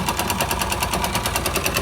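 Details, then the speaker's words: 2005 Yamaha YBR 125 found with very low oil, refilled, smoking and leaking at the clutch seal: sharp dry metallic knock about ten per second, evenly spaced at idle. Worn connecting rod knocking. "esse barulho esse batido seco vazamento aqui"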